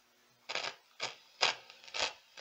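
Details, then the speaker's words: Meteoro Atomic Drive 20W amp, volume at maximum: five harsh scratchy bursts of crackle as knobs turn, characteristic of dirty potentiometers causing noise. "vamos para Atomic drive com defeito bastante característico de problema nos potenciômetros alimento o aparelho liga"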